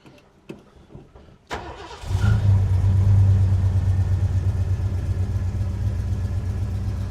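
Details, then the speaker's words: Early-80s Ford Bronco 351 V8 that would not start until fuel was added: a few quiet knocks, then it catches at about two seconds and settles into a deep, steady idle. It had just needed fuel and now starts and runs fine. "It just needed fuel. We like that."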